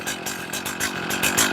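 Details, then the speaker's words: Chainsaw two-stroke idling too low, about 2,200–2,500 rpm, uneven pulsing buzz; low-speed carburettor screw being turned in to lean mixture and raise idle. "That's 2,400, 2,200, 2,500. It's too low."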